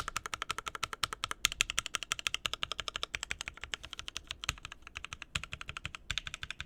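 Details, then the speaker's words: Rebuilt mechanical keyboard with a new POM plate and Mint switches, typed close-up: fast, even, crisp key clacks with no rattle; sounds much better after the rebuild. "no rattle we're good"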